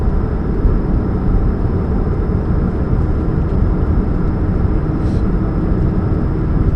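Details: 2013 Chevrolet Spark: steady low droning hum over the engine note with no knocks or rattles; a catalytic converter exhaust leak is suspected, not confirmed.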